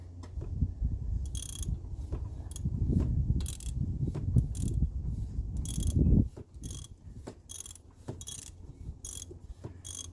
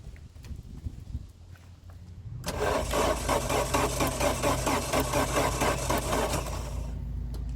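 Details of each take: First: 1989 Chrysler LeBaron GTC, 2.2L Turbo II with 5-speed Getrag, sitting about 17 years: crank turned with a wrench on the alternator bolt gives slow ratcheting clicks with spring-back on compression strokes; the engine is free, not seized. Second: 1989 Chrysler LeBaron GTC, 2.2L Turbo II with 5-speed Getrag, sat about 17 years, battery charge doubtful, one plug pulled for a spark test: starter turns the engine over at a lazy beat for about four seconds. Slow cranking.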